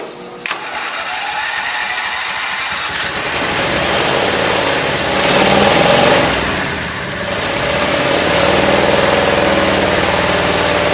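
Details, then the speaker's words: Craftsman lawn tractor, cold start after about a year unused, choked, battery charger on jump start, fresh gas: brief crank, then catches and settles into a smooth steady idle, no misses or surging; a slight sputter suggests low fuel; normal idle. "Running There it is. Idling pretty good. Yeah, I'm happy. This thing hasn't run in a long time."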